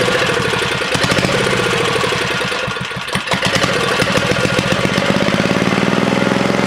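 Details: 1970 Rupp minibike with small single-cylinder engine: rapid popping stumbles and breaks up midway under full throttle, then picks back up to an uneven, sputtering rev; owner unsure whether it is the 20-degree issue or needs better tuning.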